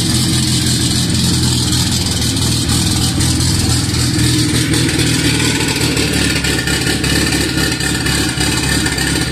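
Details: Cammed B18B1 Honda EG, first start on E85, started by jumping the starter wire, stock MAP sensor, no wideband yet: loud, lumpy but steady idle with a choppy cam note and no knocks or rattles; running healthy.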